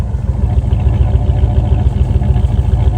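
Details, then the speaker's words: Engine running after sitting a year and a half, revved a couple of times with heavy exhaust smoke: deep, even rumble, steady beat, no knocks, misses or rattles; good motor. "That's good, though, man. Fuck. It's a good motor. Yeah. I can tell you right now, it's a good motor."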